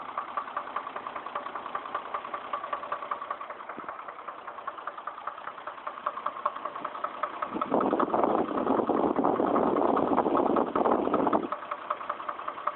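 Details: Chevrolet Trailblazer, about 110,000 miles, trouble code P0014: steady idle with a regular light knock roughly two or three a second; knocking noise later resolved.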